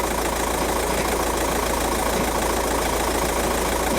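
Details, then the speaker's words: VW TDI diesel at idle, heard from underneath: loose chattering rattle at about three beats a second; worn dual mass flywheel, found twisted after transmission removal. "right I don't know how much you could hear that but that's a dual mass flywheel rattling"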